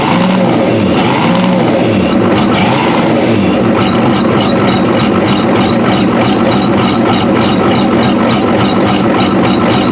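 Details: 1993 Ford F-250 7.3L IDI diesel with new injectors, after long cranking: catches into lumpy uneven chug with faint high squeal from the water pump belts — rough running; owner suspects injection pump out of time.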